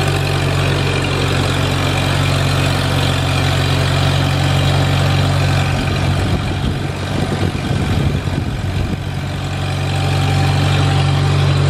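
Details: Farmall Super A tractor, first run after ground and wire repairs restored spark, warming up: low steady chugging holding a regular beat, no stumbles or knocks; healthy normal idle.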